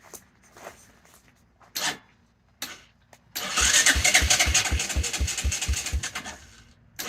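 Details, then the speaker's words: 1984 Honda Big Red 200ES, parked about a month after running fine, with a manual choke: several short tries, then steady cranking at about four beats a second without catching; owner suspects no fuel or ignition timing off; cranks but won't start. "pressure release. Nothing. I don't understand. I know it's got to get some fuel running down there."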